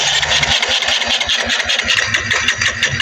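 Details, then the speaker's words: Kawasaki Rouser 180 motorcycle with fuel present that won't start; steady rhythmic cranking at about two and a half beats a second that never catches, a crank no-start with the CDI at fault. "So, pag ang mga ganito mga idol, no, ayaw umandar, meron namang gas."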